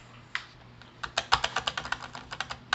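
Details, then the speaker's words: Perixx PERIDUO-714 wireless keyboard while typing text: light, quick key clicks with a few noticeably heavier clacks; the space bar is much louder than the other keys. "qui fait du bruit des autres ça va encore mais le fait que moi j'ai ça c'est pas terrible c'est vraiment pas terrible"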